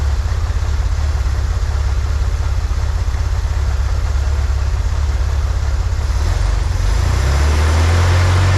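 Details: 1963 Corvair flat-six after vacuum leak fixed, new PCV valve, fuel mixture adjusted: low even steady deep drone, no stumble, a touch fast; "that's the sweet spot," idle still a little high. Normal idle.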